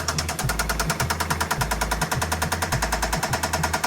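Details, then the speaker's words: BMW E60 bought at auction, running with no check engine light but slightly smoking: steady idle with a sharp, regular knock about three times a second; owner calls it slight, cause not yet pinned down. "Слухайте, чуть-чуть чути, як вона стукає, але це нічого страшного."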